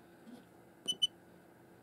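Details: Xiaomi Yi action camera with a 32 GB class 10 microSD card gives quick high beeps in a quiet room on pressing record and won't record (SD card read error), even after formatting the card on a PC (FAT32, 32K).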